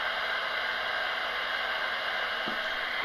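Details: AM radio clock used as an interference detector near a 33-inch flat screen TV: a steady hiss with faint high buzzing tones. Electrical interference radiating from the TV.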